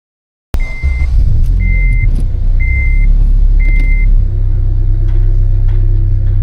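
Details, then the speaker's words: 8th-gen Civic Si after K20Z3-to-JDM K24 swap, running after first start: deep, steady rumble with even beat, no misses or knocks, a few chime beeps on top; healthy, deeper note than before. "So far, I like it. Sounds great. It does sound good. I does. think the deeper rumble is just really makes it a lot more fun."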